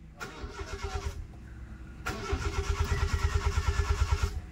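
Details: Honda Civic with check engine light, stalling and hard start: two long cranks, starter churning about three beats a second, engine never catches.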